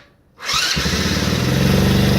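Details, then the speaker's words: Baja 90cc Wilderness bike after engine swap, in neutral: catches at once and settles into a quick, steady, even putter with no misses or knocks; normal idle. "Smooth, baby. Smooth. You know what I mean? Starts right up."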